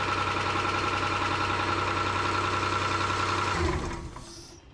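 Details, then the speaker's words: 1995 Nissan Pathfinder WD21, first start after a timing belt, water pump and thermostat replacement, run briefly without cooling: a steady idle with a sharp puffing tick in time with firing from an exhaust leak toward the rear. "Hear that exhaust leak back there? That's aggravating."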